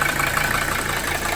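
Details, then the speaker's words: 1982 Mercedes 300SD diesel after fitting bench-tested injectors: rough idle, heavy clatter with uneven chuff, lots of exhaust smoke and unchanged blow-by. "See, we're still getting a lot of smoke coming out the back here or not."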